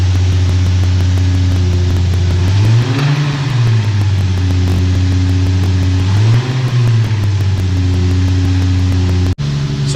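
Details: 2008 Nissan 350Z petrol V6: steady idle drone with faint regular knock, rising briefly on two blips; mechanics believe it is rod knock, not confirmed.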